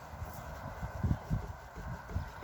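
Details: Volkswagen Polo liftback, rear right knock over bumps: quiet dull irregular thuds as the trunk lid is rocked, from play at the rear gas strut mount.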